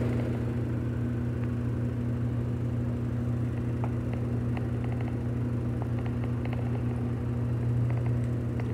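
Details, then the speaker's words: GE Adora washer (owner mentions its direct drive) ramping up to a full-blast high-speed spin: deep steady hum with a throb about 2.5 times a second and normal shaking and vibrating; normal high-speed spin. "oh Mommy it's ramping up there it goes shaking it's"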